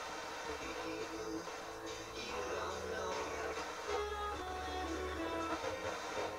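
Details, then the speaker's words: Sansui G-3500 receiver on the service bench, with no antenna connected and scratchy pots: an FM station plays clean and full with no hiss or dropouts, locking stereo easily; the tuner is very sensitive. "FM is working pretty good considering he's got no antenna connected. It's not really bumping the needle very much, but pulling in stereo easy. Yeah, it sounds good."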